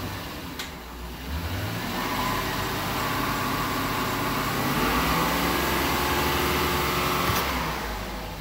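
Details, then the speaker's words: Engine held at 3,000 rpm during an exhaust backpressure test for a suspected plugged catalytic converter, on the first side before the passenger side: smooth, even, clean roar, under half a psi of backpressure. No exhaust restriction; normal rev. "So that was 3,000 RPM. And at 3,000 RPM, I'm not even getting uh half a pound. So, I have no restriction in my exhaust on that side."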